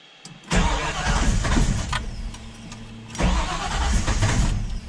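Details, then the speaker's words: Ford Falcon XB GS, fuel-injected, restart after decay-rate change with throttle opened: two cranking bursts catch and stumble without idling; suspected too much fuel from decay or initial enrichment settings, flooding. "Oh no, she's not happy. Yeah, sounds like it's still getting too much fuel there. We might need to tweak that decay a bit more or reduce that initial enrichment."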